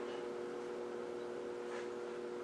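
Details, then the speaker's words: Sencore TC-162 tube tester, second unit, loud steady mains hum at one pitch throughout; tester otherwise seems to work properly, transformer buzzing hard. "think you can really hear the hum in this one not even bother with the shorts test"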